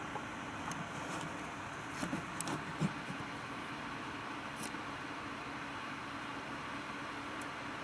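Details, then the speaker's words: Nvidia GTX 980 reference card, stock, fan at 50% (2100 RPM), microphone close to the card: steady, even airy whoosh with no ticking or rattle; normal fan noise. "That is 50% fan at 2100 RPM."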